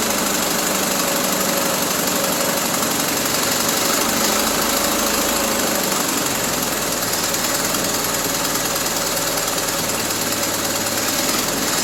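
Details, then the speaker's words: 1974 Triumph Spitfire with a rebuilt Zenith Stromberg CD150, after correcting the swapped plug leads to 1-3-4-2: loud, uneven idle pulsing around four times a second that won't settle; the carb and timing still need adjustment. "Well, she runs. yeah, we still need to do some tweaking on this carburetor because she doesn't want to hold a idle."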